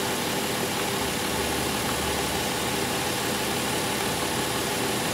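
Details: 2005 Chrysler Pacifica 3.5L V6 idling in park during a lab-scope check of the alternator: a steady, even idle with a smooth hum; small voltage spikes are seen, possibly a sign the alternator is ready to fail.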